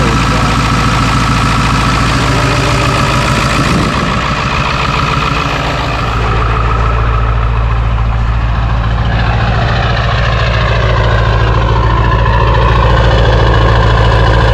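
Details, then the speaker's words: Ford 7.3L diesel truck after draining gasoline mistakenly filled and driven 30 miles, fuel bowl drained: steady diesel clatter at idle, about three and a half beats a second, even without stumbling; normal idle. "everything seems to be okay at the moment but I'm a little hesitant just want to hold my breath maybe you guys can hold yours for us just idling right now of course as we drive this thing around to the front sounds healthy"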